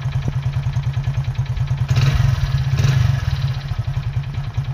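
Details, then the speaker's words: Hero HF Deluxe motorcycle idling; hollow knock riding each firing beat, louder on a throttle blip, identified by listening as piston sound, piston slap. "तो फिलहाल इस बाग में कांटों का आपको पता है वो पिस्टन का साउंड है तो पिस्टन का साउंड क्यों आता है"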